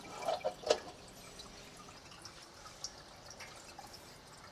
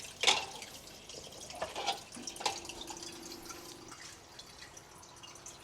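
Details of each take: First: Reef aquarium sump with filter sock silencers fitted, skimmer off, about 3 ft away: a few soft drips and faint trickle over near silence, staying under 50 dB, sometimes 51; quiet sump drain. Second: Reef aquarium sump, skimmer off, filter sock silencers removed, measured about 3 ft away: irregular drips and sharp splashes as water falls into filter socks, up to about 53 dB versus 44–48 dB with silencers; loud splashing.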